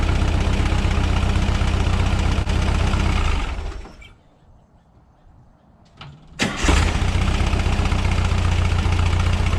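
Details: 1976 Volkswagen Westfalia bus, air-cooled type 4 engine, tuned with dual Weber 40 IDF carbs, around test drive: deep, even idle that cuts off, then restarts cleanly and settles back to a smooth steady beat; running well.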